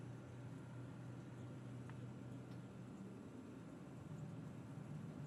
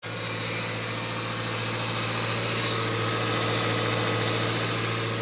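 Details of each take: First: Subaru Forester at idle after replacing a failed, loud Valeo A/C compressor: only a low steady hum, no rattle or grinding; new compressor running quietly and normally. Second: Subaru Forester with a failing Valeo A/C compressor at steady idle. Quieter at first, but once up to temperature it makes a loud whirring drone and hiss over the engine, audible from across a parking lot.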